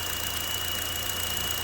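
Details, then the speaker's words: 2015 Buick Encore, 1.4L LUV engine, 104,246 miles, P0171 lean bank 1 code, at idle: steady piercing high whistle over an even idle; vacuum leak through a failed PCV check valve, valve cover likely needed. "yeah so we got a failed pcv valve now what was it what it is it's a check valve in there"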